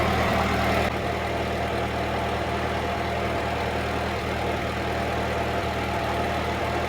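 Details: 1946 Ford 2N tractor under restoration, idling after a battery fault was found as the cause of earlier trouble and charging confirmed on the gauge: even, steady low idle with a soft regular beat around four per second, no knocks or misses; healthy.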